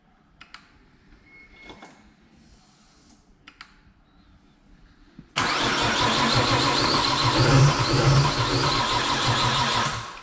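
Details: Nissan Skyline with rebuilt engine just installed, about five seconds of steady cranking near two beats a second that never catches and runs; cranks without starting.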